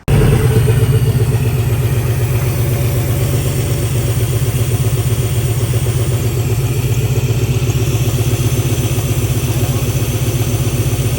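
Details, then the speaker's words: OBS pickup, first run after a new fuel pump install: a loud, deep, raw putter at idle of about four pulses a second, sounding like an exhaust leak under the cab. The catalytic converter was cut off, likely clogged; a straight pipe is planned. "That's why it sounds like an exhaust leak under the cab. But yeah, it's just missing the catalytic converter, so we got to do a little straight pipe right there."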